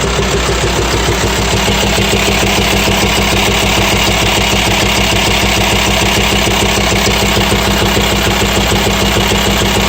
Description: Вскрытие показало, гидрокомпенсаторы и распредвал подлежат замене. После этого стук пропал.